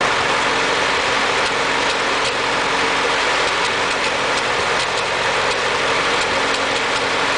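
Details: Ford 8N tractor engine idling with a hissy, ragged note and occasional sharp skips, missing on a cylinder; owner unsure whether carburetor or distributor is the cause.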